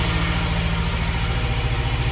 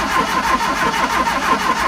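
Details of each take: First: 1971 Fiat 850 Sport Coupe finally starts after distributor and points work, choke pulled out, on old fuel: small petrol engine idles steadily and evenly with no misses or knocks, sounding healthy. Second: 1971 Fiat 850 Sport Coupe cranking at about six beats a second but never catching, after fitting a new coil, points, rotor arm and condenser; no spark because the new points weren't making contact. Cleaning the original points fixed it.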